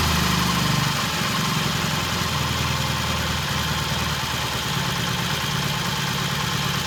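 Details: 1968 T100 vintage British twin with a new battery, after throttle cable slack adjustment: steady, even twin-cylinder beat at idle with no misses, knocks or hunting. Timing exactly on, mixture good. Normal idle.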